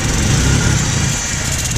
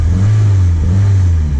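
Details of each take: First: 1991 Mitsubishi Galant VR-4, E85 tuned, custom turbo kit with a repaired welded turbo manifold: lumpy idle with sharp puffing tick on each firing pulse; exhaust leak at turbo V-band clamp, possibly not seated correctly. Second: 1991 Mitsubishi Galant VR-4 with custom turbo kit, Precision 5558 turbo and E85 tune, warm, after welding cracks in the custom turbo manifold; deep, even engine drone with no ticking, puffing or hissing, exhaust leak gone, sounds healthy.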